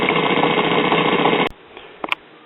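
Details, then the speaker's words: 1950s Waters-Conley (Phonola/Silvertone) record player drive: a rough, gritty rumble runs steadily for a second and a half, then stops. The motor-driven main idler wheel has a big dent and the smaller wheel has two dents. "this main outlet wheel it's got a big dent in it as well as the smaller wheel here it actually has two dents in it so that's why it sounds like an old pulpwood truck"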